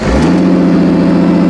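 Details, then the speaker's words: 2002 Ford Taurus derby car after a damaged plug boot was refitted so all six cylinders fire again: quick start settling into a smooth, even run with no misfire or stumble. The engine previously shook slightly and is now completely smooth. "yeah, there's a difference. It's working. I can tell. I don't know if you guys can tell. It's better. So now, previously the motor was shaking just a little bit when it was running. Now this motor is completely smooth."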